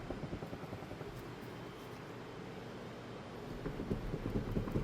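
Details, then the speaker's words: Car on lift, rear wheel rocked by hand: dull uneven clunks from play in a worn rear hub bearing; customer reported rear noise, scraping heard on drive; hub and bearing assembly ordered for replacement. "Put my hand on the tire and wiggle it. And there's some play. Everybody can probably hear it in the video"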